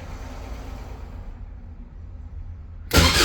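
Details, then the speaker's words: Caterham 7 620S cold after sitting overnight, clutch and brake pressed; low uneven starter churning nearly three seconds with no firing; fuel pump primes, immobilizer flashing, no tach reading; cranks but will not start, cause unconfirmed. "Try removing the immobilizer. So that flashes a lot. And no start. Put this by it. Fuel pump primes right away. Nothing."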